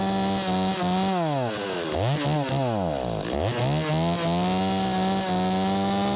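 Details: Stihl 025 chainsaw, possibly 16-inch bar, that the customer says won't restart once warmed up; running low on gas, choked start: revs surge and sag unevenly, running rich. Carburetor flooding from a stiffened diaphragm.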